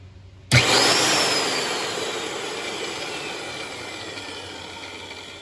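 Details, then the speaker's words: Heavy-duty Black and Decker drill after fixing the directional switch by bending contacts down so they click and lock in; set to reverse, the motor spins up sharply to a steady high whir and winds down evenly, running normally. "So this should be in reverse."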